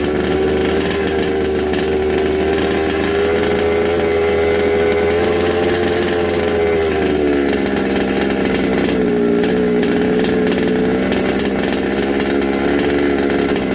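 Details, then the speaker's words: Secondhand 1/5-scale RC Baja two-stroke, sprayed between the block and engine. The high, buzzy note holds steady, then sags and hunts lower as it reacts to the spray. This points to an air leak, possibly the isolator block or head gasket; unconfirmed. "I sprayed it sprayed it in there between the block and the engine and it stops straight away so something's going on in there"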